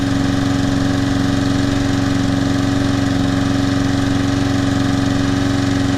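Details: Trash-picked Toro Personal Pace Recycler self-propelled mower after carburetor cleaning, tank flush (old dried gas, some water), brittle rubber seat replaced and new air filter; even steady single-cylinder beat, no misses or stumbles; runs great.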